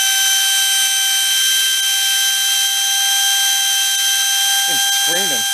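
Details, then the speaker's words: Trash-picked Hoover Elite carpet shampooer whose motor had smoked, partly reassembled and run without the fan load: a loud, steady high-pitched scream as fire comes out and the brushes smoke; owner wonders if the brushes were fitted backwards. "it's got Fire coming out of it oh the brushes those brushes are smoking"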